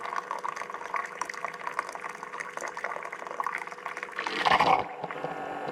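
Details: Keurig coffee brewer after removing, cleaning (ultrasonic cleaner) and reinstalling a stuck check valve and reconnecting the hose: water gurgles and trickles steadily as the pump hums, then a brief louder rush of flow; now pumping and dispensing normally.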